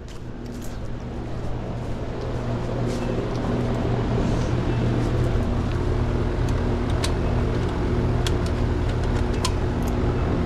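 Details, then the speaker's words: Goodman heat pump condenser after piston-restriction repair, restarted in cooling mode at 76°F indoors while charging to 8 lb 12 oz: steady compressor and fan drone with no knocking. Before the repair it had high head pressure and compressor clicking. "let me go get my other drum real quick and we'll get this thing started up okay right now I've got the cooling turned on"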